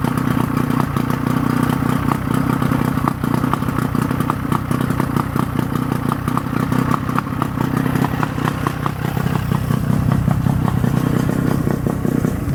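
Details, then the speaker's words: Force 50 hp outboard on a Bayliner after service (lower unit oil, impeller, spark plugs, fuel filter, new starter, regreased bearings): starts right up and holds a steady, even idle with a light regular clatter; normal running. "here I'm going to start it up again starts right up I'm surprised check this out runs really nice"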